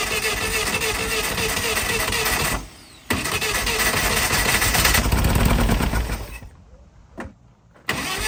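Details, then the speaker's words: 80s Nova kit supercar, engine freed after seizing from 25–30 years sitting, new ignition parts: the starter cranks in even bursts at about 3.5 turns per second but never fires, despite good spark and fuel reaching the carbs. Fires on fuel poured directly in; blocked carbs suspected. "So, the engine was turning. We had really good spark and fuel was getting to at least the carburetors, but no fire."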